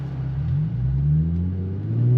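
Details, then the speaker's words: Nissan VQ37 with ISR high-flow cats replaced by Berk high-flow cats, accelerating from a light; deep smooth exhaust drone rising with revs, slightly less raspy than before, no leak puffing; healthy exhaust. "All right, honestly, it doesn't sound too different than the ISRs. Uh in my opinion, it sounds a little bit less raspy."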